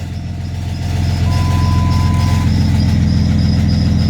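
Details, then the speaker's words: 2000 Jeep Grand Cherokee Laredo after replacing the faulty ignition switch electronic part that caused crank-no-start: engine starts right up and settles into a steady, even idle with no stumbling or misses. "starts right up"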